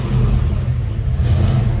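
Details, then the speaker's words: 1971 Chevrolet Nova, rebuilt 454 big-block V8 bored .030 over, Edelbrock intake and headers, AVS 750 carburetor, MSD, new dual exhaust, TH350 automatic: fuel pump heard at startup, then a deep, even rumble swelling smoothly on light blips, no knocks or misses. Healthy. "so let's fire this up real quick you hear the fuel pump let's go sounds good"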